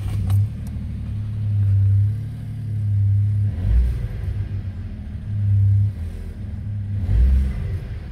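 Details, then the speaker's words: VW Up GTI after the underbody throttle vibration was fixed by wrapping 22mm pipe insulation with a zip tie near the door entrance: revs rise and fall with a deep smooth rumble, no rattle underneath. "yeah I think it did the trick [Music] recording normal vibration now fixed it"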